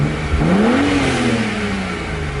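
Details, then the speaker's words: BMW 135i petrol engine, after misfire repair (cylinder 5 misfire code, suspected ignition coil fixed): clean rev climbs smoothly and falls back without stumbles; sounds really good apart from some lifter noise, no check engine light. "oh man alright sounds really good other than like the lifters"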